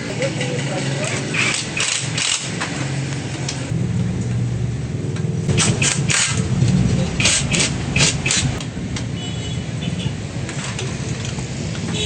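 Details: Honda XRM 125 single-cylinder motorcycle after repair of engine knocking, with new camshaft after a damaged camshaft, connecting rod bearing and side bearing were found: engine blipping up and down, picking up and settling cleanly with no knock; normal running.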